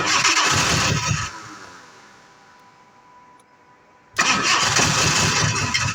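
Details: 1986 Jaguar XJ6 that sat unstarted for two years. About a second of cranking dies away, a few quiet seconds pass, then the engine fires abruptly into a loud, rough run: a hard start.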